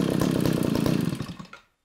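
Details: Eskimo Stingray 33cc two-stroke ice auger after fuel line replacement for a fuel leak: fast even buzz winds down and stops within two seconds, running cleanly with no stumble and no leak.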